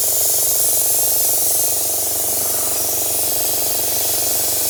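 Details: Parkside (Lidl) plasma cutter with built-in compressor cutting 3mm steel: steady loud hiss of air and arc with a faint fast flutter, even and uninterrupted through the cut; normal operation.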